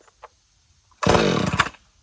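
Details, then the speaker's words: Chainsaw without primer, drop-started on full choke with chain brake on: one short burst of fast firing dies after the pull, the normal first pop; next push choke in and pull until it fires. "Now you're going to pull it until you hear it pop."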